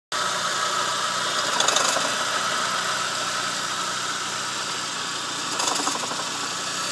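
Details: 2000 Saab 9-3 SE petrol engine idling with intermittent brief metallic rattling bursts; failed AC compressor clutch, fixed by replacing it; eco AC mode disengaging the clutch can test it.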